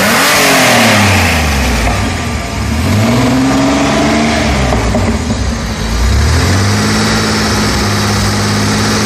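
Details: Fiero engine that won't start and idle on its own, held on the throttle: revs swell and sag repeatedly, as if it would stall without the pedal. The owner suspects a wrong air-fuel ratio, since introducing a vacuum leak smooths the idle.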